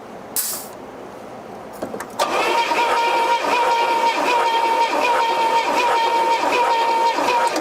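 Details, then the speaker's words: 1972 Pontiac LeMans barn find, sat about 20 years, cranking during compression test: starter turns it at an even beat, almost three per second, no light strokes; readings about 125–130 psi, compression healthy. "$130. Pretty good. Yep. I bet they're all pretty similar to that, bet."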